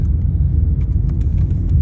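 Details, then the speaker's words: VW Jetta driving at cruising speed after replacing the sway bar end links to cure a rattly suspension: steady low road rumble, no clunks or rattles over bumps; less noise, suspension tight. "Okay, driving along. Already I can tell that it's making less noise."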